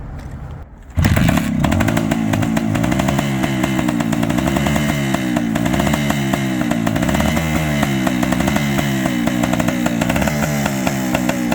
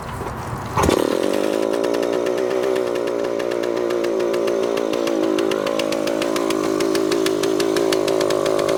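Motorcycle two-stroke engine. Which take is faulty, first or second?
second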